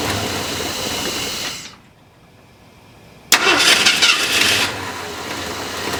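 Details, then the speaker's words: Points-ignition engine cold start, about 7 am at 71°: cranks and dies, then fires with a loud uneven burst into a shaky idle; points dwell too low; warm idle fine at 570–590 rpm. "all right so let's go ahead and fire up the engine so you guys can see uh the struggle it has trying to fire when it's cold and it's uh about 7:00 in the morning and it's about 71°"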